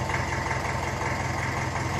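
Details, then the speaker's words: 1954 Ferguson 20 TEF diesel tractor, cold, not yet warmed up: steady, even idle beat with no hunting or surging; governor holding speed, better after the work though not a full success. "So you do expect them to govern a bit until then. But I'm happy enough with that."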